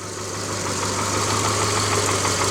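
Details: 2009 Subaru Forester after engine rebuild with used crank, first run: steady, even idle with a low drone and a faint rapid puffing tick on top, fitting a small exhaust leak.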